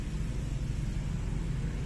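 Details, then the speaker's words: Toyota Altis 16-valve automatic, engine warm, in drive: low, uneven idle rumble sagging and shaking with gear engaged, also shakes in reverse; idle drops to about 1000 rpm; cause found as dirty idle air control valve. "drive natin drive engage ng kambyo ay nanginig nanginig pa rin"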